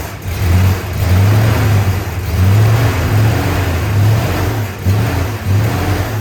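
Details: 1965 Chrysler 300 383 V8 after 17 years sitting in California desert, just revived: low lumpy idle with uneven stumbling beats; smoke from leaked oil burning off, holed radiator; owner suspects timing slightly off, unconfirmed.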